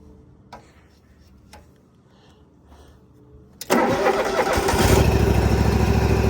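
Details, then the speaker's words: Used lawn mower: a few clicks, then it fires at once and settles into a strong, even idle, starting and running well. "this one starts and runs really nice. So, we'll keep that one around for me."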